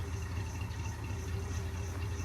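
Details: International truck engine idling with a new out-of-box Holley carburetor: quiet, even idle like a sewing machine with no knocks or misses; a belt makes some noise and the water pump may sound slightly crunchy.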